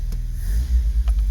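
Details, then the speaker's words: 1981 Honda Accord, about 1780cc carbureted four with a three-barrel carburetor and automatic transmission, in for service: it catches on the key and settles into a low, even idle with no knocks, misses or rattles; running properly. "So let's start it up. Should start just fine. Yeah. Runs good."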